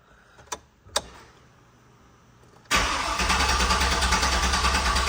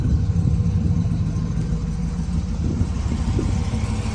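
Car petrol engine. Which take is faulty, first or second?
first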